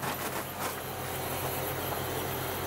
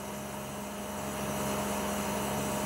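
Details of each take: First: Outdoor air conditioning unit on plain legs on plywood stand, before fitting spring rubber anti-vibration mounts: steady low drone and firm hum, slight vibration transmitted through the mounting making it very noisy. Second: Outdoor air conditioning unit after fitting spring-and-rubber anti-vibration feet: smooth, steady hum with constant low tone, no rattle, buzzing or vibration; normal quiet running.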